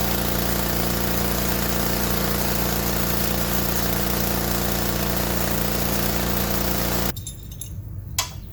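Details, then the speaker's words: Gas-powered pressure washer test run after replacing the high-pressure pump: loud steady small-engine drone holding even speed for seven seconds before cutting off, no stumbling; running healthy. "Okay, finished running the test run, and looks like it did great."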